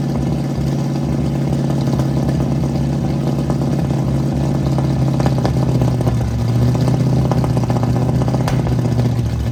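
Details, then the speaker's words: 1967 Ford Mustang V8 at idle while readjusting ignition timing: lumpy low rumble with frequent sharp exhaust pops; timing incorrect. "I'll start the car up, it pops out of the exhaust a lot. So I'll start it up, let it warm up, and disconnect the vacuum hose off the distributor."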